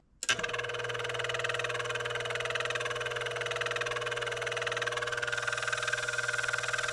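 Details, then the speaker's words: HVAC blower motor spun free on the bench: steady hum with a faint rough whir on top; worn bearing on one side of the motor makes the noise. "I don't know if you can hear that, but that's on this bearing on this side."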